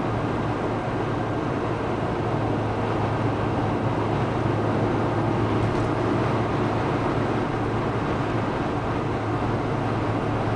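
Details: Fiat Tipo 1.4 i.e. cruising on the highway at about 90 km/h, with a constant heavy drone and roar and no knock or tick. It sounds more like 120 km/h; excessive engine noise, cause not identified.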